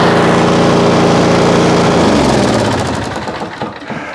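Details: Auto-choke single-cylinder mower, stored 5 months on ethanol-free fuel without stabilizer, about 30°F, started after roughly 30 pulls; owner suspects auto choke caused hard start: loud, even running for about two seconds, then winds down and stops; normal running.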